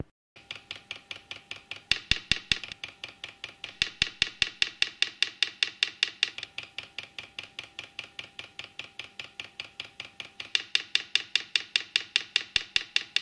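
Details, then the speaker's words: New "ultra quiet" replacement fuel pump for a Chinese diesel heater, running in priming mode, returning fuel to the can: crisp, light, regular ticks about 2.5 per second, notably quieter than the factory pump. Normal pump ticking. "so yeah as you can see a notable difference in the noise uh very much quieter"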